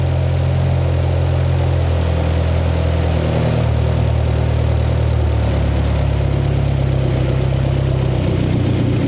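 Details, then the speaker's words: 1972 Toyota Celica with overhauled Mikuni 40PHH carburetors, new throttle shafts and butterflies: idle holds fast and steady then sags lower; idle now adjustable but still hangs high before dropping. "It's still doing the same stuff that it did before. I am getting adjustment out of the idle though."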